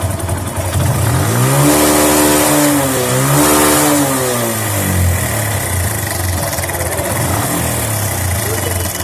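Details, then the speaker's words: Bike engine revs up and settles with a fast clattery rattle riding on it. This is a slack timing chain; the main problem is the tensioner/adjuster, fixed by timing chain change and tappet adjustment. "বাইকের শব্দটা আপনারা নিজে খেয়াল করলেই বুঝতে পারবেন যে সাউন্ডটা খুব একটা ভালো হচ্ছে না, একটা বাজে একটা সাউন্ড আসতেছে।"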